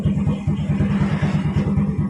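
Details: Yamaha Vega R/Vega ZR/Jupiter Z carbureted motorcycle chuffs unevenly at mid revs as the throttle opens, hesitating; cause is in the carburetor.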